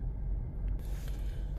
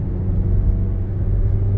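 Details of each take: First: Mazda CX-5 2.0 idling with check engine light, codes P0302 cylinder 2 misfire and P2302 ignition coil A secondary circuit; non-original coil fitted; low uneven idle rumble with stumble and shaking; misfire persists after clearing codes. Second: Mazda CX-5 2.0, after fixing P0302 cylinder 2 misfire and P2302 ignition coil A codes by replacing an injector; coil fitted is non-original. Smooth, even low rumble pulling cleanly with no stumble under throttle: normal acceleration.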